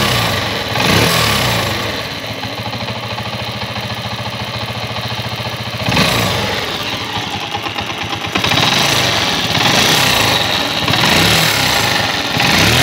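Single-cylinder putter settles into a steady idle and picks up cleanly on the throttle, no valve ticking; running fine.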